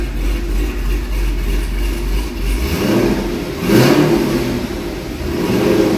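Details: C6 Corvette V8 after an aggressive camshaft and long-tube header install, still on the old tune: lumpy uneven idle sagging and surging, then the low rumble drops out as it dies. Rough running and stalling, undrivable on the old tune.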